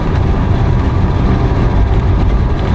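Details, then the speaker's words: Holley Brawler 950 CFM double-pumper carburetor, only idle mixture screws tuned, on a car with an extremely radical cam, still technically cold and stopped after a drive: a deep, loping, uneven V8 idle that stays steady without stalling; a healthy idle. "The idle is still great. The car is still cold technically. but it's still fine. The cam is extremely radical and it's not a problem."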